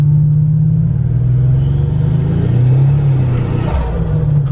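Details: Turbo car accelerating hard for a burnout: deep engine rumble building under throttle with faint rising turbo whistle; healthy turbo spool.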